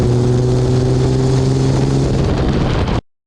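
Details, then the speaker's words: 2004 Dodge Ram 5.9 Cummins diesel on a test drive with a new MBRP S6104P exhaust, GoPro near the exhaust, under load: a deep, steady note with even low tones and no rattles. Normal exhaust. "All right, we'll go for a little test drive. I got my GoPro right near the exhaust, so we'll hear it on under load."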